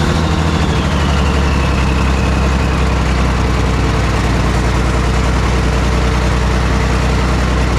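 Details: Cat 977K track loader diesel, with a small exhaust leak, after cleaning the fuel filter and priming: steady, even low rumble at idle, no misses or knocks; normal idle.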